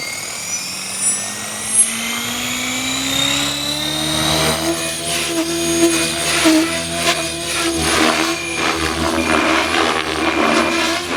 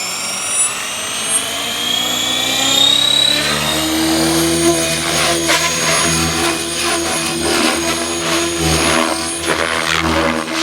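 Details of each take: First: Blade Fusion 480 Stretch RC helicopter on Spektrum 6250HX flight controller, after lowering tail I gain, doing fast loops; rotor whine holds even pitch, tail mostly steady with only a slight wag. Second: Blade Fusion 480 Stretch helicopter with Spektrum 6250HX, hovering after raising cyclic gains to 60/60/20 in Stunt 2; rotor whine with quick restless tail pitch wobble: tail gain too high, likely the I term.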